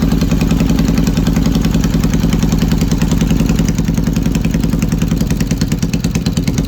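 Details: Yamaha XS650 twin running an old Hitachi TCI. It idles and revs with an uneven, stumbling beat as pulses drop out of rhythm, a misfire whose cause is not pinned down.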